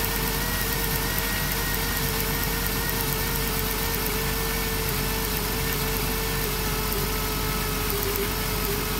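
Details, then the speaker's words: 2007 Dodge Grand Caravan V6 at idle: steady idle with slightly uneven stumbling beat; misfire caused by damaged spark plug wire boot arcing, found with timing light after suspecting the coil pack; wires to be replaced. "foreign oh it's a plug wire look at that see that hogwired arcing the boots damaged we gotta replace the smoke Loop turn off the lights well that's what's going on the spark plug wires damage"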